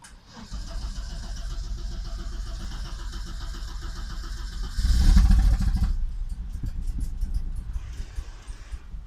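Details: Audi Coupe converted from NG to AAR engine: petrol engine cranks about four seconds before catching roughly, then runs unevenly with irregular pops and misfires; it stalls while driving and the cause is unknown.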